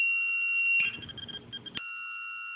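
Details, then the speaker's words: Lost-model locator beeper plugged between the rudder servo and receiver of an RC plane, sounding after 60 seconds without servo movement while the battery stays connected: a loud, steady high-pitched tone cuts out briefly under handling clatter, then returns; moving the rudder stops it. "as long as the battery's plugged in still you'll be able to hear that loud beep"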